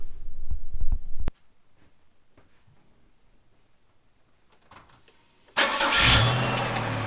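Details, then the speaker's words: 1996–2002 Camaro/Firebird 3800 Series 2 V6 after AC delete and belt reroute: engine starts and idles evenly, much quieter, the previous AC whine gone. "oh yeah definitely a lot quieter no more whining"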